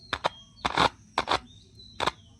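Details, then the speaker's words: Speaker tested by touching a cell to its two coil leads: brief scratchy crackles, mostly in pairs, showing the coil responds; speaker and coil are good. "तो friends, इस तरीके से हम जान सकते हैं कि हमारा स्पीकर सही है, कॉइल सही है और हमारा स्पीकर काम करेगा।"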